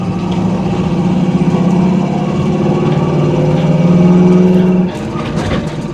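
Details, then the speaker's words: 1976 Pontiac Trans Am driven around corners: deep, throaty V8 exhaust burble through Flowmaster mufflers, rising and settling, sounding healthy. "here exhaust sounds really good obviously flow Masters behind it it's this type of Muffler that we like to put on just about everything"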